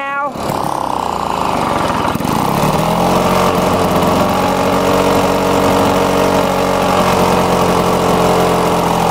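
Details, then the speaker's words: Lawn-Boy two-stroke mower with newly installed air vane governor, set to high speed: steady, fairly low drone with no climb in pitch, not reaching full revs. "I still wanted to be running faster on high-speed so I'm gonna do the same thing lift up that caller I turn it counterclockwise to apply some more catch into that string just like that"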